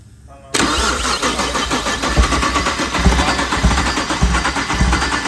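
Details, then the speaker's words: Freshly built BMW 335xi engine, first start with oil but no coolant, run only briefly: catches at once and settles into an even, lumpy idle with a few throttle blips; healthy start, running real good. "all right boys we did it she's running running real good i'm not gonna let it run too long because there's no coolant in the system we'll go ahead and shut it off but she's running real nice"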